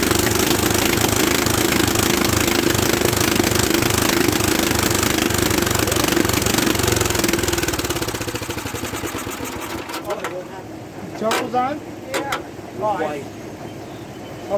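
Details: Old Bolens tractor pulled from a barn after sitting for years, faulty ignition bypassed, starting fluid given: slow, uneven chugging at two to three beats a second while cranking, never catching and running on its own. Cranks but won't start; cause not confirmed.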